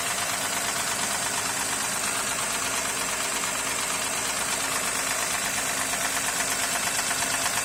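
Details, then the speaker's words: 2008 Honda Accord coupe J35Z V6, idling: steady idle with a fairly regular light knock on top, around three a second, seemingly from the rear of the engine; source unclear, needs further checking before timing belt, rollers and tensioner replacement. "какой-то непонятный звук. Где-то как будто сзади."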